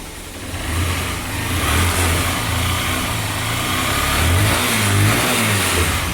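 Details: Honda Fan 125 fuel-injected single after head work idling and blipped, running smoothly with no knock or tapping; the strange head noise, worse when hot, is gone.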